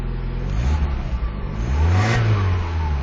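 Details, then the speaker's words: 1991 Miata MX-5, cold start in light rain, starts right up: deep four-cylinder note swells smoothly on a blip and settles evenly, no knocks or misses; healthy engine, though owner notes a grumbly transmission bearing. "I'll start it for you. I'm going to try to keep this video on the shorter side. Starts right up."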